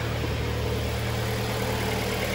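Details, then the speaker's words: Hyundai ix35 G4KD engine at 124,000 km, after repair of camshaft scoring caused by cold-weather running: an even, steady idle with a smooth low hum and no knocking, tapping or errors. The engine sounds healthy. "мотор работает ровно здесь посторонних шумов и так"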